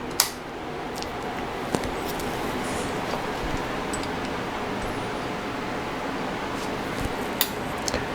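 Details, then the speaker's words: Vector Research VRX-9000 receiver that was stuck in protect mode, powered with a meter across a suspect resistor: faint hum, then one sharp relay click as it comes out of protection; about 0.86 V drop. "Oh, it just came out of protection, and we got about 0.86 volt voltage drop."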